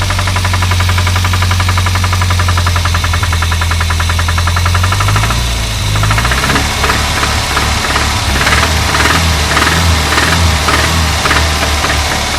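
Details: Renault 25 engine running: sharp, rapid metallic knocking over the engine, persisting throughout and speeding up as the revs change. A clear internal knock whose cause the owner is asking about.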